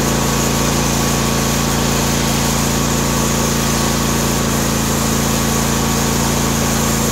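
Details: John Deere D130 mower V-twin after ignition coil replacement: even, steady hum at constant speed with no stumbles or skips; engine runs cleanly.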